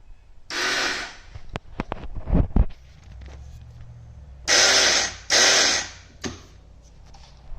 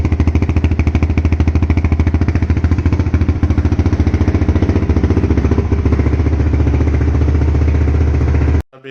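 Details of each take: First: 2008 Honda TRX450R electric start with the key on and clutch in: two short bursts of high, free-spinning starter whir without turning the engine. Either the starter clutch or the reduction gear has failed; the reduction gear is suspected. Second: 2008 TRX450R electric-start ATV after repair of a crank/no-start fault in the starter clutch/reduction gear: it starts and idles with a strong, even single-cylinder thump at about three and a half beats per second.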